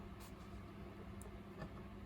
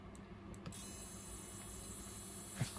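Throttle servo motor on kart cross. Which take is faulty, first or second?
second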